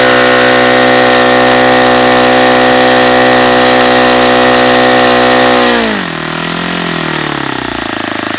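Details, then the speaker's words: Saito FA-150S four-stroke RC engine on 10% nitro, Xoar 17x8 prop, P2 plug, over-leaned at full throttle: a harsh high buzz, then the revs collapse abruptly near six seconds from lean detonation. "okay I guess that's what happens when you lean it out too much"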